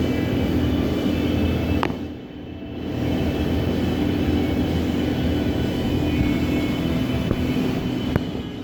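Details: 2006 Suzuki GSX-R 600 FSAE engine, rebuilt, new battery, rebuilt starter: starter turns engine slowly and steadily for several seconds but never fires; slow cranking, no start, cause unknown, turns faster with plugs removed.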